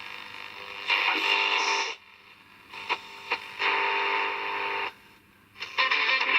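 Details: Portable transistor radio on medium wave, January 2023, tuned to weak AM station Absolute Radio: programme audio comes through clearly between quieter tuning gaps, with no crackle or dropout. Normal reception.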